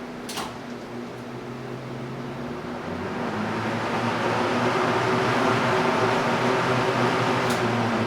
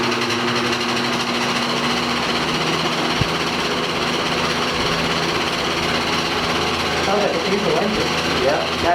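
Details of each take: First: Small vintage desk fan, a mint thrift-store rescue, switched on high: even motor hum with a smooth rush of air building as the blades spin up; running cleanly. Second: 1960s General Electric five-blade box fan, single-bearing motor: coarse chattering rattle over the hum at startup, the typical GE loose stator winding sound; otherwise works fine.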